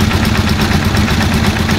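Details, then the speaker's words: Rusi Chariot 175 trike, older single-cylinder engine, just started on Shell Advance oil: steady, even idle with a smooth regular beat, no knocking or rattle; idle quietening as oil circulates through the engine. "tumitining na yung under nya dahil nga yung oil nakasirculate na sa loob ng engine."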